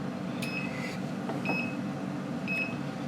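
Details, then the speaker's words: Car with maintainer unplugged while testing a Power Max PM3-100 12 V 100 A inverter as programming power supply: OBD2 breakout box beeps sharply about once a second over blower hum, warning voltage dropping fast under blower load. "you hear it can hear the obd2 breakout box beeping because the voltage Y blows so fast"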